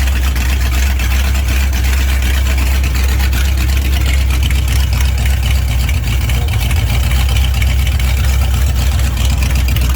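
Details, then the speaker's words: Freshly built 21-stud prewar Ford flathead V8 with original Winfield cam, dual-carb Arco manifold and custom headers, at first startup: deep, loud, steady low rumble with no knocks or misses; normal idle. "Oh my god, it sounds so bad ass."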